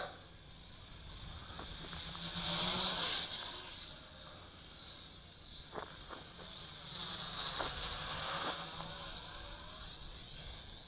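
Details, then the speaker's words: HT F801 quadcopter in flight with a replacement motor taken from a WLToys V959: steady high buzzing whine that swells and eases with throttle, smooth and even; motors running normally. "here well it's flying great with this W toys motor"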